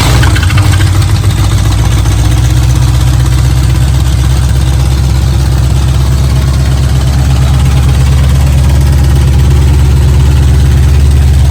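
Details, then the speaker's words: 1967 Ford Mustang 289 V8 revived after 22 years parked: heavy lumpy idle with loose uneven rattle about four beats a second from the bell housing; owner thinks flex plate hitting the dust cover; radiator pressure also suspected (cracked block or head gasket). "it's almost like the flex plate is hitting the dust cover is what it sounds like to me inside"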